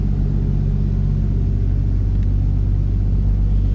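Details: 1961 Plymouth Fury, 225 slant six, push-button automatic, dual exhaust, cold start: steady even low idle rumble with regular exhaust pulse, no knocks or misses; healthy, runs smoothly from cold.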